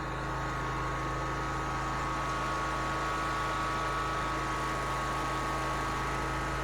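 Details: Bobcat ZT219 zero-turn mower after replacing the broken throttle cable and re-bending the choke rod: small engine holds a steady, even drone with a faint hum and no surging or hunting; running normally.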